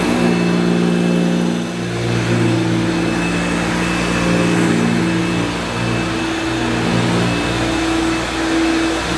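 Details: Vintage 1971–74 Hoover Dial-A-Matic 1149 upright vacuum, US import, running while cleaning low-pile carpet: loud, steady motor roar with an even, unwavering hum; pretty noisy, but judged to sound as it should. Normal running.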